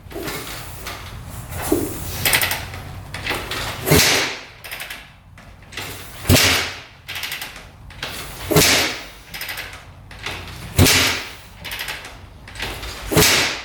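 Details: 2004 Suzuki RM-Z250 after rebuild with new crank, bearings and top end: repeated kicks every two to three seconds, short thrashing burst, no firing; cranks but won't start, same problem as before teardown.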